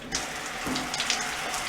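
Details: Shower valve after its in-wall cartridge was replaced to fix a leak and a knob that spun without shutting off. A steady hiss of even spray with no hammering or sputter shows normal flow. The head still drips slightly.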